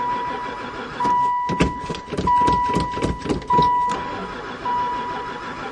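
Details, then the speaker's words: Van that sat about 4 years, cranking after adding gas. Even cranking for a few seconds, no catch or firing; oil light now off, owner suspects no spark. "oil light's not on anymore still no go um I'll dump a bit more gas in"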